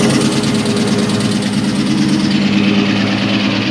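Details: 2003 Ford SVT Cobra V8 at idle: light, fast ticking knock over the exhaust drone; badly scored pistons causing piston slap.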